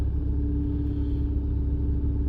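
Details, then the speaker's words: 1997 GM Vectra CD 2.0 16v idling after cold start with air conditioning switched on; steady low rumble, speed barely dips and holds smooth; idle compensation working properly. "Malem mal baixou, já consegue fazer a compensação bem certinha. Então isso aí, cara, ficou uma maravilha assim pro carro."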